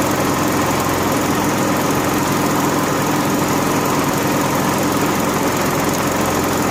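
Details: Honda gas-powered AEC welder generator with ongoing fuel-delivery trouble, warmed up on an electric fuel pump temporarily jumpered to the battery: even engine note at one speed with no misses, surges or knocks. Runs normally.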